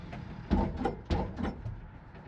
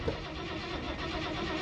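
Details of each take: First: 1968 Dodge D100 Sweptline short bed, 318 V8: cranks briefly, catches and settles into a strong steady run with revs climbing smoothly. Sounds healthy after the crud-filled old gas tank was replaced. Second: 1968 Dodge D100 Sweptline, premium gas, clutch down, quarter throttle: starter spins the engine steadily but it never catches; crank no-start from no fuel delivery, fuel line found hanging loose.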